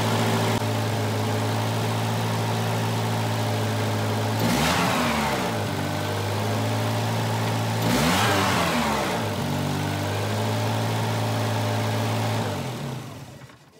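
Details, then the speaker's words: 1985 Volvo 240 with straight-through idle air control valve, LH2.2 injection, exhaust leak present: steady fast idle, two throttle blips settling back unevenly before the engine sags; symptom of a sticking idle air control valve holding the idle high. "today we're going to test our idle air control motor I'm going to show you the symptom of a failing or a sticking one"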